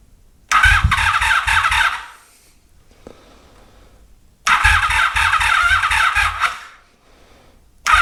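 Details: 1983 Honda Magna V45 with an intermittent electrical fault and low battery: two short bursts of fast starter cranking with a squeal, long gaps, never catches; crank no-start from suspected electrical gremlin, unconfirmed.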